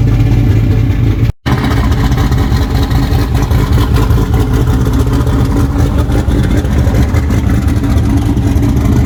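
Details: Freshly built boosted V8 in a truck after the old engine hydrolocked from coolant, street shakedown at about 5 psi boost: strong, steady rumble holding even under throttle, no knocking, misfire or ticking; healthy.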